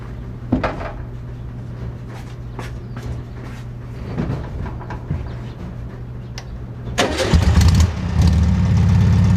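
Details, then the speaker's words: 1969 VW Bug air-cooled engine with rebuilt Bosch 009/034 SVDA distributor, vacuum line on carburetor, idle just set: after short crank it fires and idles lumpy and unsettled; owner says engine needs a rebuild or refresh. "I think I've got it set to idle pretty well it's running rough the engine needs to rebuild but at least a refresh"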